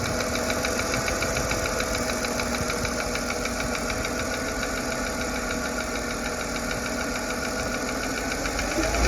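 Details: Mercedes M112 petrol V6, 160K miles, idling near 900 rpm: light, steady tick of three or four a second from the driver's side, quieter after new driver-side lifters. Owner wonders whether it is injectors or piston slap.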